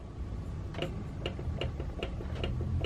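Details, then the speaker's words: Lidl bandsaw with the blade off, non-driven upper wheel spun by hand: as it slows, a sharp tick repeats about every 0.4 seconds. The upper wheel has a lot of play, suspected to come from the tension mechanism. "There's an awful lot of flippity flop going on in there."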